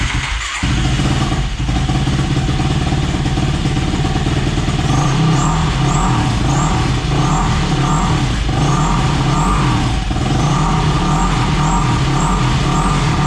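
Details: Yamaha YFZ450 in rough shape, first start after blowing a blockage from the fuel line: single-cylinder catches within a second and keeps running with rhythmic throttle blips, no cutting out; carburetor still needs fine tuning.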